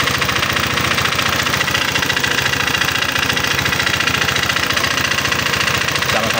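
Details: Honda PCX 150 scooter idling with the cam chain tensioner cap bolt off. Still rough, with a hard, fast metallic clatter of about 3.5 per second; a weak tensioner is suspected.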